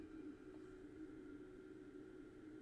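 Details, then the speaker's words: Bose three-disc CD changer showing disc error on all drives, sled motor bench-tested forward and with reversed polarity, good resistance reading: faint, steady, even hum, flat pitch, no catching or grinding; sled motor runs fine. "yep and now we're gonna go for him alright so I know that is working fine like and I was getting a good ohms reading on their resistance reading"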